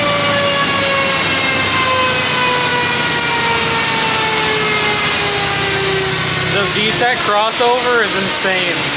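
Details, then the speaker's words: BMW E30 spec race car with a K24 engine swap (K-Power E30 kit), accelerating hard: a high, hard-edged note sweeps up through the revs with quick gear changes, pulling cleanly with no misfire. "this thing RS out it's oh my God it sounds so good like it doesn't doesn't sound like the truck but it's not a bad thing at all"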